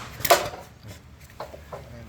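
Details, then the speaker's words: Nissan Almera rack and pinion, removed and rocked by hand, gives a sharp metallic clunk then lighter knocks: worn rack play causing a clunk underneath over small bumps; replacement advised over repair. "Ayan ang lakas pag ganyan ang rocking pinion niyo May play at may kalog na ayan kapag nalula kayo yan maingay Yan makalampag yan"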